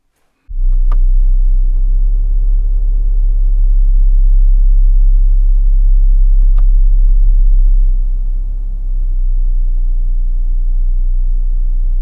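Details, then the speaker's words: New 2026 Chrysler Grand Caravan SXT, warm idle stopped: deep steady roughly 32 Hz cabin drone whose loudness changes moving from Drive with air conditioning on to Neutral with it off; cause unknown. "Next, listen to how the noise gets louder when I turn the air conditioning on, but it gets even louder when I turn the air conditioning off."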